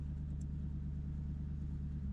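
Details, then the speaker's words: 1994-2004 Ford Mustang started in neutral with the clutch in after replacing a broken ignition switch actuating rod: even, low rumbling idle with a steady beat and nothing irregular. Normal idle. "We're neutral. Clutch in. That sounds pretty damn good to me."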